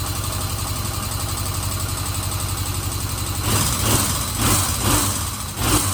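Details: 1977 Kawasaki Z400 four-cylinder after refitting carburetors to cure vacuum leaks, cooled down, choke about half: even idle, then four quick throttle blips rising and dropping back cleanly; normal idle.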